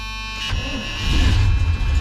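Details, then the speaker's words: Supercharged 1976 Chevrolet Corvette C3, sat unused for years: catches after a second of cranking and settles into a lumpy, uneven low rumble. Running rough. "this run a little rough but on running"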